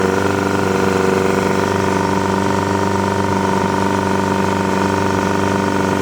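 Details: Yamaha 100HP outboard test run after an ignition misfire: steady, even idle with smooth unbroken hum, no stumbling or skipped beats; firing sounds healthy, normal running.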